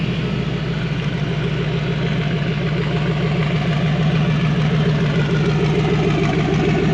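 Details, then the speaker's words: Fox body Ford Mustang V8 with CSU carburetor after fan switch replacement, warm near 185 degrees with cooling fan running: even steady burble but idle about 200 rpm higher than before, still smooth; high idle, cause unclear. "it's kind of weird that it's uh like it's ided up few 200 RPMs after doing that does sound smooth though"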